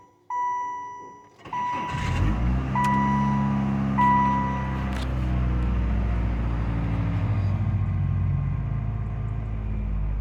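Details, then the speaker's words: 1998 Saturn SL1 after crank-no-start fix, melted F5 fuse wire connection cleaned: warning chimes, clean catch and steady even idle, no misses, knocks or starter grinding; normal start and idle. "as we can see Saturn is back running all I did was clean the electrical connection and made sure it was a good connection"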